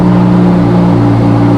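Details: Lamborghini Huracan V10 after an oil change, refilled to nine quarts, started to warm to operating temperature with good oil pressure: smooth, even idle with a steady low hum and no knocks or ticks.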